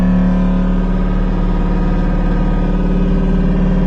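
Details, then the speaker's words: Converted electric car, key switched on: electric brake vacuum pump charging the power brakes, loud steady droning hum at one pitch; pump is noisy as mounted, owner plans different mounting to quiet it. "So it goes into this port back here, and then I'm going to click it on, and when I do, you're going to hear the vacuum pump activate, which is going to charge the power brakes. It sounds hellaciously loud, but I'm going to try to do some different mounting techniques to get that a little quieter."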